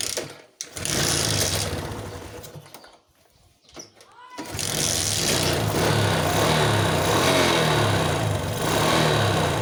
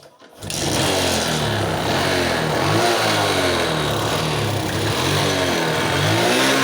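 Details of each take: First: Suzuki Smash motorcycle with hard starting and poor acceleration; fuel found dripping in the vacuum line, flooding suspected. After a couple of sputters it catches and revs up and down smoothly without bogging. Clean revving. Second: Suzuki Smash motorcycle, hard starting and won't rev: uneven, stumbling, lumpy idle, hesitation and poor acceleration; fuel flooding from a leaking tap suspected; battery also degraded, fuse missing and wiring possibly bypassing it.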